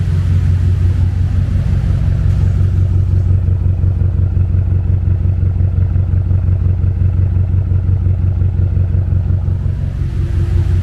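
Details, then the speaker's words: BMW X6M V8, forged build rated 1200 hp capable, M5/M6 intercooler swap, first start-up, untuned, meth not yet hooked up: deep, even rumble at steady idle speed, no knocks, misses or ticks, engine not shaking; normal idle. "Look, the engine don't shake at all, don't move. And look how clean she idle."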